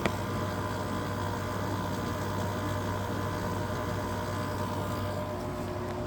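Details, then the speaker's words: Whirlpool ACM052XH1 5000 BTU window air conditioner, LG rotary compressor running in cool mode; steady low hum with rough buzzy drone under the fan noise, compressor strained and not happy, cause not pinned down, noisy compressor. "As you can hear though, that compressor's not too happy."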